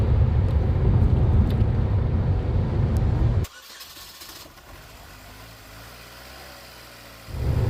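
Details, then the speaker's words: 2015 Chevy Equinox starting and idling after fuel rail and fuel injector replacement, fuel pump cycled first; steady even low rumble, no roughness or knocking. Normal idle. "you go, a good start."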